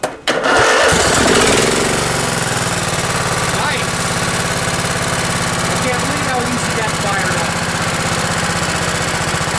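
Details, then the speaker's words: Craftsman LT1000 riding mower, 16 hp Kohler Command OHV single, cold start on choke at about 20°F after ice storm: catches within a second, settles into steady even idle with no misses or knocks; healthy. "well i'm gonna call that a success and uh today we're giving two thumbs up to kohler command engines"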